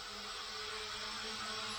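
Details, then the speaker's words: Hubsan H502E GPS quadcopter from 2017, rebuilt with new motors after a burnt-out motor (owner thinks front-left), hovering in a metal garage with fluctuating GPS lock; smooth, even high-pitched hum with no rasp or rattle; new motors and bearings sound healthy. "seems pretty good on the new motors you can hear the ball bearing seems pretty smooth"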